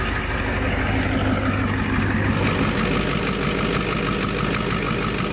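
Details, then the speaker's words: 1990 Ford F Super Duty, naturally aspirated 7.3 IDI diesel, after injector replacement, idling to work air out of the fuel system: even clatter about three beats a second, no stumbling, throttle response much better; normal diesel idle. "oh yeah the throttle response is way better man that is a big difference okay we're gonna let it idle for just a little bit and work the air out of the system"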